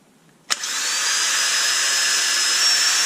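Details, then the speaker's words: DeWalt DCD776 18V cordless drill with 2 Ah lithium battery, bought broken, jammed trigger and selector: silence, a sharp click on battery insertion, then the motor spins to a steady high whine and won't stop until the battery is removed. "can't stop it that doesn't sound very good does he so um it works or it appears to work just um doesn't stop working"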